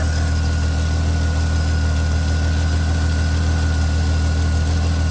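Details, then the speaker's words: Squarebody Chevy K10 with a one-barrel carburettor and broken choke, first start after sitting five months, choke held by hand: low, steady idle rumble with no stumbles; cold idle on choke. "we go and she's idling too by herself heck yeah she's doing it the old one barrel keeps her alive"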